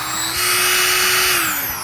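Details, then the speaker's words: Cheap $34 plug-in Amazon router with no variable speed, first free run: high thin buzzy, hollow whine spools up, holds briefly and sags, like a cheap vacuum; motor sounds insanely underpowered. "it sounds terrible it sounds insanely underpowered"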